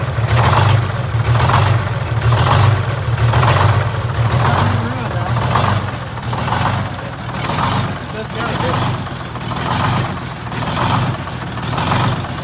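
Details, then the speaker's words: GM 4104 bus, Detroit Diesel 6-71 running: rhythmic clattering surge about once a second under the running note; generator removed, drive gear found missing several broken teeth. "well the racket that generated was making I didn't like it so I figure we need to pull it off and inspect the drivetrain on it"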